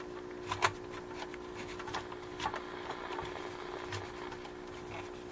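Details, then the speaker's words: Motorola 51M1U AM vacuum tube radio powered up before capacitor replacement, one tube loose inside out of its socket: steady hum with irregular crackles and pops about every second; crackling output, cause not yet found. "Unless I just get radios that people stuff cotton on the speaker. I don't know. So, it makes some goofy noises."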